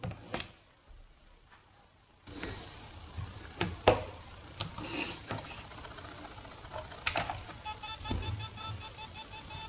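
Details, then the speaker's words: Laptop hard drive, about a year and a half of use, in an external case: buzzes and clicks irregularly without spinning up; owner suspects a stuck read head. "it seems that it cannot spin correctly it makes a sound like it's not spinning so I think that the head is stuck"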